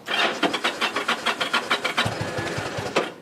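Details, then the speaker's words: 2007 Yamaha V Star 1100, cold start with the fuel on reserve: slow, uneven cranking for about two seconds, then it catches with a few ragged low firings, a reluctant cold-blooded start, then runs. "It's cold bloodooded. It runs. Oh, it sounds good."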